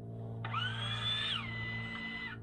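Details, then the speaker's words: 2006 Land Rover Discovery 3, 270,000 km, electric park brake release after repairing the park brake module, cold evening: short motor whine rises in pitch, holds about a second, cuts off cleanly; quick and quiet, as it should be. "oh my God it's open and now I close it oh my God and it sounds quick and quiet just sounds right yeah it sounds quiet"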